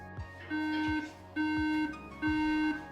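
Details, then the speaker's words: 2011 iMac bought faulty, first power-on after reassembly with black screen: three long steady beeps repeating about once a second, the characteristic RAM memory error; fixed by removing the RAM, cleaning it with isopropyl alcohol and reinstalling. "e três bicos pessoal é um erro característico de memória RAM"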